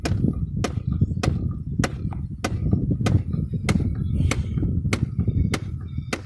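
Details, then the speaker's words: 2001 GMC Yukon XL SLT 8.1 Vortec, while driving: a sharp knock every ~0.6 s from the heater/blower air housing behind the glove box. It continues with fuses pulled and airflow is stuck on vent. Owner suspects an actuator stuck in the wrong position. "We're going down the road, all of a sudden we hear knock, knock, knock."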